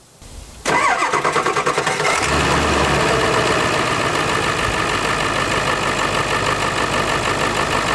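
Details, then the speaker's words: Camper vehicle "Judy" first start after installing a new vacuum pump to cure a knocking noise, air box not yet refitted: cranks and catches quickly, then settles into an even, steady run with no knocking; sounds healthy. "The new vacuum pump is installed. We got everything put back together except for the air box. So we're gonna fire it up and see if it makes a change."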